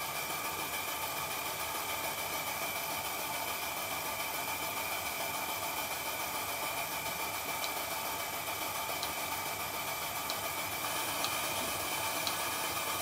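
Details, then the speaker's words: Stuart 7A model steam engine with steam pump, running on compressed air in very cold weather, pump outlet globe valve fully opened; steady airy hiss with faint light ticking, no knocks; running normally. "it's working and for a steam engine to work in such a cold temperature running on compressed air which makes it even colder is quite good for such a small device"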